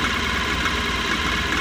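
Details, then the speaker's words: Mahindra Maximo after fitting new cam sensor (old one gave no return signal, causing starting trouble): steady even idle with smooth low rumble, no knocks or stumbles; running healthy. "ಈ ಗಾಡಿ cam sensor ತೊಂದರೆ ಇತ್ತು. ಅದರಲ್ಲಿ ಯಾರಾದ್ರು ಹೊಸ ತರಿಸಿ ಹಾಕಿದ್ರೆ ಗಾಡಿ ಸ್ಟಾರ್ಟ್ ಆಯಿತು."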